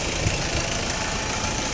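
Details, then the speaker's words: BMW E30 M10 engine after repair, running the old imitation board; steady even idle with smooth beat, no stumbles or knocks. Normal idle after repair. "Akhirnya udah normal lagi nih."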